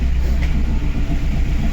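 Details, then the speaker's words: Chevrolet Aveo 1.5 8-valve, rebuilt two years ago, mileage unknown, before repair: lumpy, uneven idle with a missing beat and no check-engine light; misfire from blown head gasket, suspected to be leaking coolant into cylinder four. "Блін, двигун троїть, а чек не горить. Оце прикольно, конечно. Добре чуєте, як йому погано."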